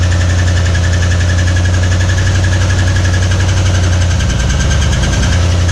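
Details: 1961 Mercury Meteor first start in decades after new ignition parts: heavy low drone with uneven knocking getting choppier near the end; oil pressure light stays on, no oil pressure, bearing knock from oil starvation.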